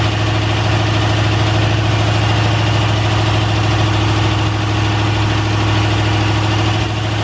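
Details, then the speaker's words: Honda S2000 with LS V8 swap, new replacement engine on conventional break-in oil, first start: deep, even V8 burble at steady idle, no knocks or misses; engine sounds healthy and smooth. "how'd you hear the motor sounds fantastic this is the new replacement motor and it sounds great"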